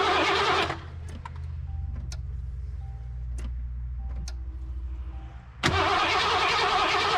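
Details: 1988 Mercury Cougar (Foxbody) cranks steadily, about four beats a second, but never catches on fresh 91 fuel with Chemtool. Fuel pressure is 40 psi, spark is present, EEC-IV shows no codes, and it starts on starting fluid, so injectors are suspected.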